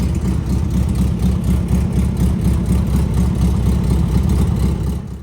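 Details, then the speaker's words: Air-cooled VW engine running with even steady chuffing about four pulses a second until switched off; runs good, though owner says it still needs a tune-up, carb adjustment and plugs. "see runs good just have to do a little tuneup and carb adjustment plugs things like that"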